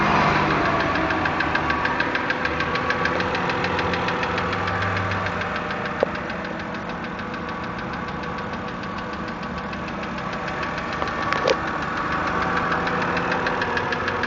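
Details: 2008 BMW 328 (E90) cold start after sitting parked outside for 24 hours: a steady, fairly even knock about three times a second over the engine hum at cold idle; source unknown.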